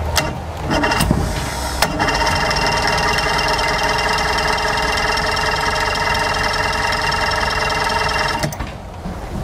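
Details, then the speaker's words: Mercury Force 120 four-cylinder outboard, dead 12 years, grounding corrosion identified as the problem, cranked on earmuffs; steady starter whir with a rapid uneven chug for about seven seconds, never firing. Owner suspects a carburetor problem; the starter also won't disengage. "Come on, baby. I'm thinking we're gonna have a carburetor problem here, folks. Starter doesn't want to disengage either."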